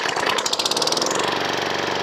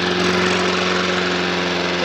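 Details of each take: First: Old Briggs & Stratton single-cylinder mower engine, bought second-hand and untried, crankcase oil well overfilled above the dipstick max mark, given a quick test fire: starts and runs steady and even with no knocks or misses, then cuts off cleanly. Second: Old Briggs & Stratton mower engine, not yet stripped down, runs at full throttle with a steady, even drone, but the revs sit slightly low; slow speed is spot on and high speed wants a notch more.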